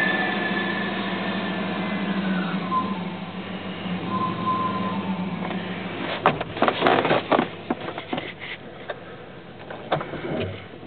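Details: 2002 Dodge Durango, steady humming drone with a higher tone drifting down, then scattered clunks and knocks; occurs only in cold weather with a cold engine, first 10–15 minutes of driving, gone when warm and absent on revving; cause unknown.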